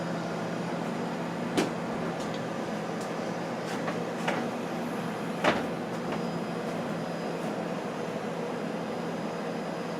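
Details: Whirlpool freezer, new but stored unused 13+ years, plugged in for the first time; low, steady hum with a few light clicks and bumps around it. The compressor runs evenly and sounds healthy; normal compressor running.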